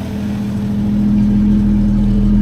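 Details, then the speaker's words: Rover P4 after swapping old Bakelite spark plug caps for P6 rubber boots: steady even exhaust drone with no misses or stumbles; normal smooth running after the fix. "smooth. Can't deny that sounds so much nicer. I think those acorns are just causing trouble because they're old."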